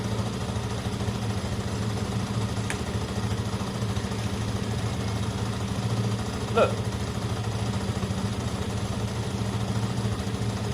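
Steady, even low burble with a regular beat and no misses, knocks or rattles; this twin idles clean and healthy.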